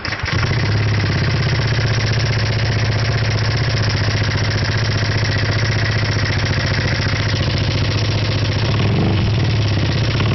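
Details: First-generation Honda PCX (JF28) scooter at idle: uneven clatter about four per second riding over the low engine beat, a rattle from inside the engine, cause undetermined.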